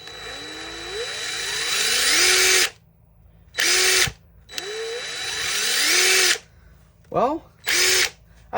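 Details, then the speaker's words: Worn, old DeWalt DCF885 impact driver after reassembly and brushing out: short trigger bursts climbing smoothly to full speed, no rough or scratchy note at low revs; sounds better than before, runs normally. "but it definitely sounds better though at low speeds"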